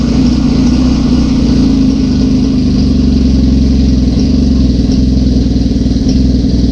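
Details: 1981 Suzuki GS650GL after rebuild work: new battery, plugs, oil, filter, pod filters; steady, even four-cylinder burble at fast choke idle, no misses or knocks; normal running after restoration, small carb leak suspected.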